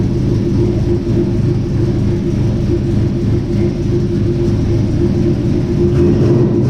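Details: 1967 Chevy C10 V8 with Holley Sniper fuel injection, started and idling after sitting about 23 to 25 hours; steady even smooth rumble, no misses, knocks or ticks, normal idle.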